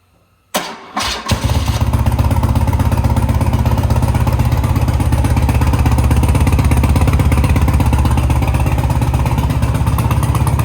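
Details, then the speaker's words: 1987 BMW R100 Monza cafe racer twin, cold first start at about 30 degrees in neutral, recorded near the exhaust tips: brief crank, catches on second try, settles into an even, steady low idle thump; normal cold start and idle. "Everything's cold. First start up. It is very cold in here. It's probably 30 degrees, so it may take a second to crank over."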